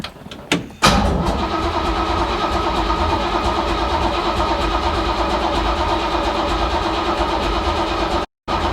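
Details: 1970 Chevy C10 parked 10 years, fuel system reconnected, cranking to purge old fuel into a jug: a few short bursts then steady starter churn, turning evenly but never catching; good oil pressure built.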